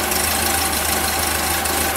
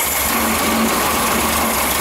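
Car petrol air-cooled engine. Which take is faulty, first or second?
second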